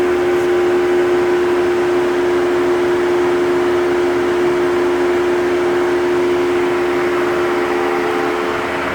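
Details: Jeep Wrangler 4xe charging at 120V in 30°C (86°F) heat: loud steady hum with airy rush from battery cooling, running until charge ends or unplugged; normal.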